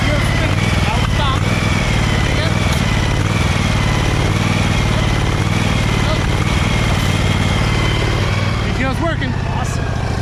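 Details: Husqvarna 2346XLS hydrostatic lawn tractor with the PTO engaged, after rust-bound brake and gas pedals were freed up with lubricant: steady, even engine drone with a light whirring hum from the deck; normal, healthy running.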